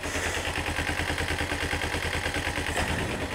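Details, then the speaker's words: Kawasaki ZZR-250 (EX-250H) idling after removing, cleaning and reinstalling the clogged automatic cam chain tensioner: the metallic ticking is gone; crisp, even exhaust beat, no top-end clatter, running much smoother. "Bike's on. And listen to that, there's no more. It's running much smoother."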